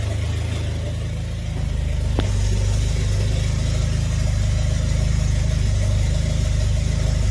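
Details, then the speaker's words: Mitsubishi Eclipse GSX 4G63, first start after starter plate swap with the manifold vacuum line plugged; rough, wavering idle running really rich, fuel pressure possibly too high, boost leak suspected. "A little rough idle, but really rich. That's really rich."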